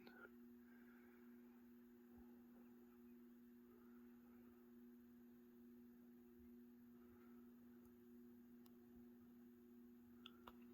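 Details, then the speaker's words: 1996 Hunter Innova 44-inch ceiling fan with replacement Summer Breeze motor, on low speed; quiet steady low electrical hum with two tones, owner believes these fans are plagued with hum by design; motor hum. "low's a bit fast you can hear the hum these things apparently i think we're always plagued with the hum just the way they're designed"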